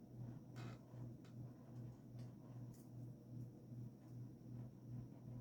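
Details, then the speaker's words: Evergo GE-Vent 52" hugger ceiling fan, 1986, stamped motor, model 4E-6EALW-P3S, with light kit and globe, on low speed: faint hum with soft rhythmic ticking two or three times a second, something rubbing or loose, cause unknown; abnormal noise on low. "Go down to low. I had it perfectly fine, and now it's making all sorts of noises."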